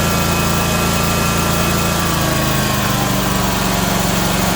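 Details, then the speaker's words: Ferris 1000Z zero-turn mower after repairing a broken seat-switch wire/terminal, fuel confirmed reaching carb: engine settles into a steady, even run with a firm low beat, no misses or knocks; normal running. "so so yeah this thing starts up runs perfectly fine the issue"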